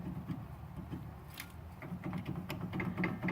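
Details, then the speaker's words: 2006 Honda Pilot front end: loose clicking and clacking as the original Honda sway bar end link, 177,000 miles, is rocked by hand showing excess play; same clacking heard over speed bumps and potholes; worn end link clunk, to be replaced. "a Pilot and I've got a lot of noise in the front end a lot of like clacking noise clicking noise whenever I go over bumps well I think I figured out what it is these are the original sway bar end links the original Honda ones"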